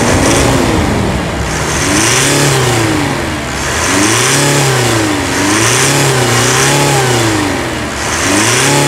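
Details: 2017 Mitsubishi Triton 2.4 4N15 all-aluminium diesel (190 hp) after brake caliper replacement: revs blip up and settle back about every two seconds, pitch rising and falling smoothly, no knocks or misses; normal healthy revving.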